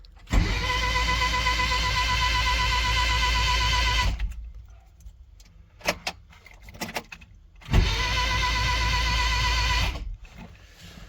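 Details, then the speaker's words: Starter cranking an engine after the wheel hub install: two bursts of fast even whirring with no firing or compression rhythm, sounding like the starter freewheeling, though the engine was then confirmed to be turning. "That doesn't sound like the engine's turning."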